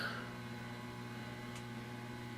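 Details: Guitar pedalboard into amp with nothing played, $30 noise gate pedal switched off: constant low mains hum under a faint even hiss; amp hiss that the pedal cuts out when on.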